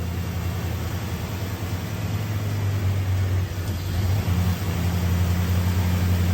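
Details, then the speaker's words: 1989 Pontiac Trans Am GTA 5.7 TPI V8, about 35,000 miles: starts and idles fine, but with A/C on and shifted into drive or reverse the idle turns uneven and lopes, dipping hard under load and stalling; cause unknown. "Okay, that's what's happening. You put the car into drive or reverse and it stalls, especially if the air conditioning is on. That is obviously putting a strain on the motor."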